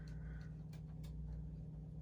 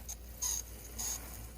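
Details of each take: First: Bachmann Spectrum Dash 8-40CW N scale locomotive on a running test: faint, steady low hum, very quiet with no grinding or ticking; buzzes when tried on DCC, so DC only; runs normally. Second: Kato N scale GE U23C model locomotive running: a faint, thin high-pitched squeal comes and goes over the small motor's quiet whir; it needs lubrication.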